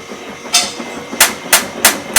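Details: GE Profile washer/dryer combo just after a technician replaced the door seal gasket: sharp loud knocks about three per second as the drum speeds into spin, with the machine bouncing. This did not happen before the repair.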